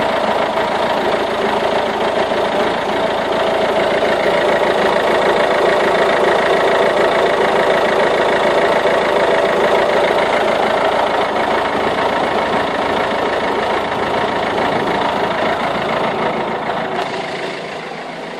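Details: Peugeot/Citroën 1.6 HDi 9HX diesel at cold start: clattery, uneven wavering idle with smoke smelling of badly burnt diesel, fine once warm; new glow plugs, cleaned EGR valve and injector cleaner did not help.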